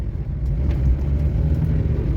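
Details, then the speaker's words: 2006 Renault Kangoo 1.5 dCi panel van after replacing CV joint (axle) heads that clicked on full lock: steady low road rumble through full-lock turn with no clicking; drive shaft joints healthy. "hemen şöyle bir dönelim hop çatır çatır sesimiz de yok Allaha şükürler olsun"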